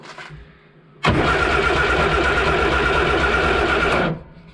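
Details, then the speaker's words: £500 budget Morris Minor, not run in years, after rewiring with ignition problems: cranking with the ignition on shows no spark on the test lights, three even beats a second for three seconds, no firing; won't start for lack of spark. "Right, no spark. This is good. This is a good thing."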